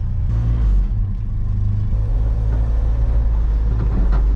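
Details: Old mini U-Haul box truck (Ford Courier), restarted after sitting a couple of weeks, running after the fuel pump wire was reconnected: deep, steady engine rumble with a slight rise in revs and no knocks or misses before it cuts off; it runs fine.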